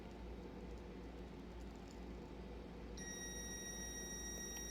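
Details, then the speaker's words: Multimeter continuity test on a Kawasaki 80-100cc ignition coil, probe on a cleaned contact spot: quiet room, then a steady high beep that holds; continuity beep, coil winding intact. "so it's making a contact between here and here now we're going to check one more spot we're going to go to the ground on the core and we're gonna check it again and it's good that's good"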